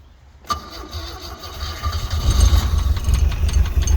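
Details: Glastron Carlson CVX-16 boat engine restarted with the last water-intake hole covered, to check whether it pumps water out. A brief crank, then it fires and the low rumble builds to a steady run within a couple of seconds. Engine starts fine.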